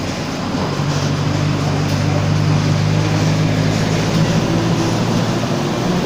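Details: Mercedes-Benz Torino 2007 OF-1722M city bus under way: a steady low hum and growl under the road and engine noise, from a growling rear differential.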